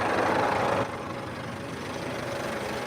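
Steady, even diesel idle settling right after a cold start; no knock, miss or rattle, just a healthy-sounding engine.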